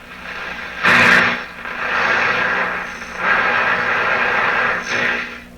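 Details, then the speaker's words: Atwater Kent Model 36 radio, antenna on red wire, suspected bad output tube: swelling crackly hiss with no stations received; set seems to operate fine but only picks up household electrical interference. "Okay, so I'm picking up things that sound like interference in my house. It really sounds like the radio is operating fine. It's just not finding any stations."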